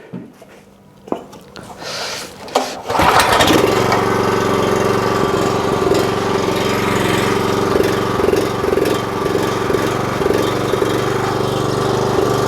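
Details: 4 kW generator under repair, unloaded, reading 52.3 Hz at 250 volts, slightly high. Starts after a few pulls then steady, even hum at constant speed, no hunting or surging; normal running.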